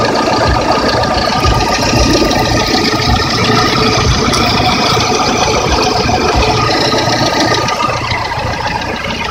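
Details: VAZ 21126 engine, warm: a fast, fairly even knocking rattle over the idle, three to four taps per second, quieter than when cold and not heard in the cabin; owner suspects piston knock and plans to disassemble.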